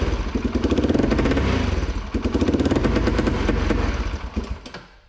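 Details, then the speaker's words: 2003 Polaris Predator 500 single after a compression check and timing adjustment: uneven idle thumping broken by irregular pops and misses. Popping while running persists, and the owner suspects the carburetor, unconfirmed. "yeah, it's still doing the popping thing or whatever. So I mean, that might be carbureted now at this point."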